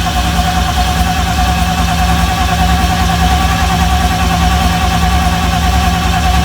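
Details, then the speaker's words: BMW M52B28 engine newly swapped into an E30, first crank with fuel pump disconnected to build oil pressure: steady, even cranking drone with no firing while watching for the oil light to go out; normal cranking. "Donc, pompe à essence, elle est débranchée. Donc, comme je t'ai dit, je vais juste tourner. Tu regardes le voyant s'il s'éteint bien."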